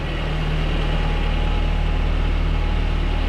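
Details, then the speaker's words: 1994 Toyota Pickup 22RE, first start with a new exhaust and readjusted valves on a chilly day: steady, even low idle rumble with no exhaust puffing or leaks found; the known 22RE lifter click remains, slight smoke expected; much better than before. "And with the valves readjusted, that's so much better. still has the infamous, you know, 22 RE click lifter cap, but not too shabby."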